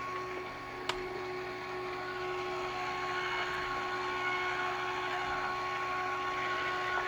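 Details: Filastruder 2.1e filament extruder gear motor running unloaded while the stall protection board is set up: steady, even whine at constant pitch with no knocks or grinding. The motor is running smoothly, and the stall board reads normal for no load.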